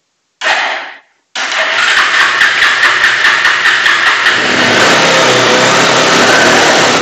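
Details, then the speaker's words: Bajaj Pulsar 180 BS4 motorcycle, live demo of the original fault: it needs a long, repeated self-start, runs fine above 4000 rpm but shuts off as soon as rpm falls below 4000; it fires briefly and dies, then restarts and revs raggedly. "और जब 4000 नीचे RPM तुरंत नीचे आ रहा है यह तुरंत है बंद किया हुआ जा रहा है।"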